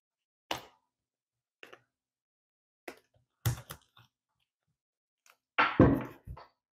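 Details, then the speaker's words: Fiberglass base panel lay-up curing on a mold; quiet room with sparse irregular crackles and ticks from the release tape letting go of the mold, not the fiberglass cracking; normal. "and you can hear it kind of crackling that's not the fiberglass that's actually the tape starting to release that's a good thing"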